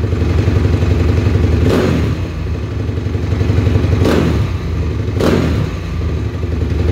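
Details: 2007 Honda CRF250R at ~7200 ft, 45 pilot, JD high-altitude kit (red needle, 4th clip), Boyesen QS3 ~7/8 out, fuel screw ~2 out; thumping idle, three sharp throttle snaps pick up with slight hesitation: bog nearly cured after adjusting accelerator pump timing.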